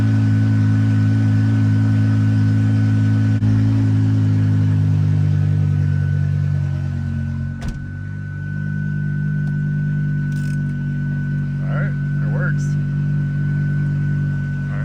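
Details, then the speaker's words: BMW E60/E63 M5/M6 after the new SMG pump and INPA bleed (calibrated, no fault found): smooth steady idle with a faint even whine and a soft clunk as gear engages. The pump works and the car goes into gear normally. "All right, well, our SMG pump's working and it goes into gear."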